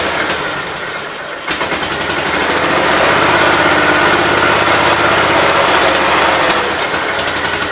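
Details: 1968 Gravely 430 engine, first start after rebuild and reinstall: it catches after a moment's cranking and settles into a steady, even beat of about four pulses a second. Healthy; light smoke expected from oil put on the rings.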